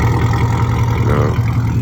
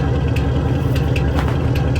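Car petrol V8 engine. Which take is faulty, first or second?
second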